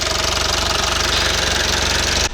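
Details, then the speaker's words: 2012 Mitsubishi Outlander 2.2 DI-D diesel with P2413 EGR fault, after EGR valve cleaning: harsh, evenly pulsing clatter over a loud diesel just after start, then cuts off; soot fell under the valves during cleaning. "це я чистив отут сажу видно попала сажа під клапана потрібно бути з цим обережним"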